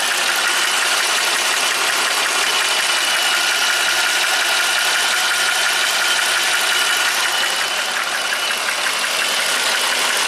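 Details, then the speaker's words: 2019 Jeep Wrangler Rubicon Pentastar V6, 72,000 miles, P0300, bank 1 fuel trim +25%: fast even clacking about three times a second over a hissy idle from one bank; failed valve-lift solenoid suspected, not confirmed. "Sound is definitely coming from this side. And we got that DVL solenoid right there. Those things fail."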